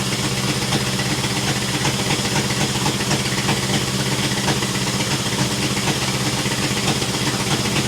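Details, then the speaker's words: 1966 International 1200A pickup, not yet at temperature after fuel filter work: loud raw chuffing idle about four pulses a second with harsh raspy edges; exhaust leak worsened, muffler half off, effectively open header. "if you can believe it the exhaust the exhaust leak has gotten worse the half the muffers on the ground my neighbors are going to hate me"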